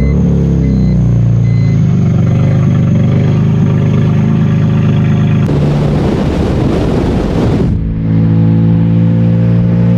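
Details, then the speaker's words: BMW E46 M3 convertible, revived after sitting over two years, first drive: deep booming drone climbing under throttle and dropping back smooth; very loud, raw exhaust. "i wonder how loud it is on camera because it's super loud yeah right now it reminds me of my first ever s54 swap i did in my car i didn't have a muffler on it and that's exactly how it sounded"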